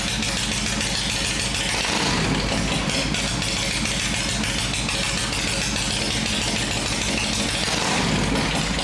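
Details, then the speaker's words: 1980s Harley FLHT Shovelhead, revived after 35+ years with failed hydraulic lifters converted to properly adjusted solid lifters and plug wires rerouted: loping V-twin idle at a steady beat, no top-end tapping or ticking; valvetrain quiet and healthy. "Well, sir, that's the way it should sound. It's not noisy now. It's not ticking with the solids adjusted right."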